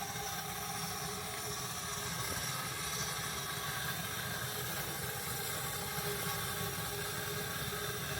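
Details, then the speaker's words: Small-scale Advance-Rumley style steam traction engine on its first run, about 45 minutes after firing up, steam turned on with the fire roaring: constant loud hiss over a soft rumble; steam leaking at the front. "we're leaking quite a bit up front here"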